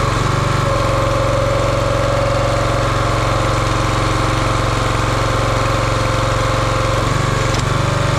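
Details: Champion 27-ton log splitter, 224cc engine, stored outside probably over a year, after a hydraulic fluid leak was fixed by tightening a fitting: steady single-cylinder chug at even speed, no misses, knocks or surging, under light hydraulic load; runs cleanly.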